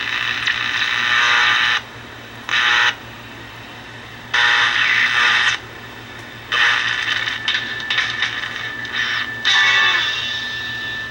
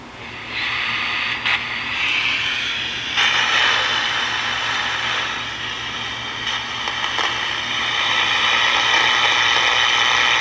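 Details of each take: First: Vintage red Strauss 5-transistor AM pocket radio on a 9 V battery, restored: stations come through in bursts as the dial is swept; replacing one faulty capacitor restored reception. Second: Vintage Strauss 5-transistor AM pocket radio with a good 9.4 V battery, before restoration: only steady hiss and crackles, not even picking up a running test transmitter. Noise rises when a hand nears the antenna; bad capacitors suspected. No reception.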